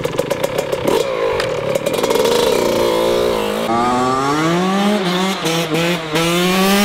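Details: Yamaha YZ 125 two-stroke restarted after an engine rebuild following an engine failure: crisp revs climb and drop cleanly with even firing and no knocking or rattle. Normal running.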